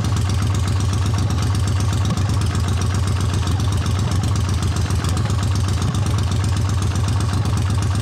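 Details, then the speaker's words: 1979 Honda CX500 cafe racer project with rebuilt carburettors: low, lumpy idle with irregular pulses about four a second; right exhaust colder than left, so one cylinder is suspected weak, coil swap planned to check. "Okay, so it's running. Sounds not too bad. The right exhaust is a little colder than the left exhaust, so something is going on there."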